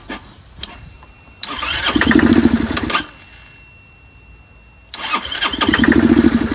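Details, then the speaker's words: Curb-found Chinese 150cc Moto Cooper Revo/CF Moto scooter, ignition hot-wired, primed by hand: cranks briefly, catches and revs unevenly about a second, then dies; fires only when fed fuel, owner suspects fuel delivery problem. "I still don't think it's getting gas that's what I think what the hell do I know it seems to fire up only when you feed it so it has a fuel delivery problem"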